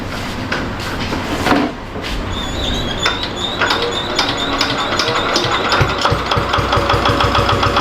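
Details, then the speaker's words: Diesel generator that smokes heavily on starting: right after start the engine labours under heavy load with an uneven, dragging beat and nearly stalls, blamed on an alternator problem. "तो जैसा कि आपने देखा जट जैसे चालू हो रही है तो फिर काफी ज्यादा लोड प जा रही यानी कि मशीन बंद होने लग रहा है"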